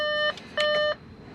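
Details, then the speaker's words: Car with newly installed Auxito LED headlights that flash instead of staying lit, ignition on: two clean electronic beeps as the dash shows "switch ignition off"; the cause is unclear. "It says switch ignition off."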